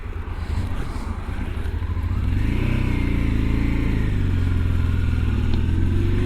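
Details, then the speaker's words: Honda Transalp twin on first ride after new clutch, rear wheel bearings, cush rubbers, carburetor balance and service, cool 8 °C: deep beat rising smoothly as revs deliberately raised on pull-away, no judder or chatter; clutch take-up good. "And again, another nice take up, no juddering. I purposely gave it a few higher revs there just to see if she'd judder, but no, beautiful."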